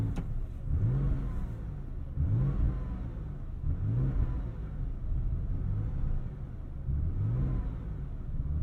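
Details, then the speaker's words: 1999 Porsche 911 Carrera 4 (996) after a hard start: engine blipped about every second and a half, revs climbing and sagging unevenly, with rough, hesitant running and backfires before stalling; cause not known. "she's giving us some backfires yeah did you hear that i did and i feel it in my butt too come on stay running for me kid ah she died on me"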